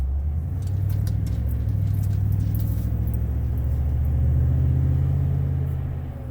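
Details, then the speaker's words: 2018 Toyota Tundra, driving warmed up at the rpm where intake whistle used to occur, after removing the mesh ring from the throttle body to intake manifold gasket: deep even V8 rumble under throttle, no whistle; intake quiet, fix worked. "Oh yeah, it sounds super clean. I don't hear anything, guys."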